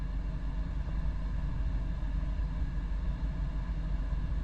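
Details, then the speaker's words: Vevor diesel heater in a work truck, auto mode at 36 °C setpoint, self-set to level 2 (low output): steady low roar with an even, unchanging hum, no knocks or rattles; running smoothly. "I'm not sure if you guys can tell the difference in noise of the heater, but it is now in auto mode and has set itself to level 2."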